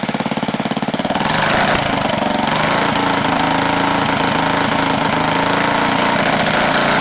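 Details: 1970 Wisconsin BKN flathead single-cylinder engine, about 7 HP, after sanding the points: a quick, steady popping beat with no misses or rattles; it runs clean and healthy.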